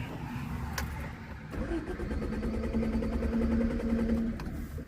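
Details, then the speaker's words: 1978 Honda Civic, cold and not started for a while, stalled just after starting: brief crank after a few pedal pumps, then it catches and revs unevenly before settling; needed to warm up. "Oh, it just died. Hang on. Like I said, it hasn't been started for a little while, so."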